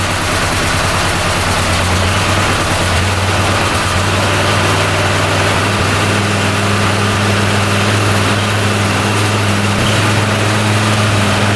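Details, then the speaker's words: 2013 Arctic Cat Wildcat 1000 UTV that had no power, bogged and sometimes stalled at idle: a steady low idle, slightly uneven at first, while checking a gap at the intake for an air (vacuum) leak. "idle came way down sounds pretty good now look at that going way down when you spray that yeah there's an air leak right there"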